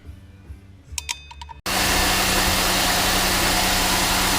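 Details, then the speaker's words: 2005 Chevy Uplander 3.5L after water pump replacement, started during coolant refill and bleeding: brief click, then an even steady run with no rattle, knocks or squeals; repair successful. "runs all nice and play it stir it up"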